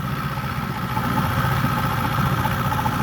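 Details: 1964 Glasspar Super G boat outboard just after its second or third start of the day, tends to lose prime overnight: even low burble, steady rhythm, no misses or knocks; normal idle.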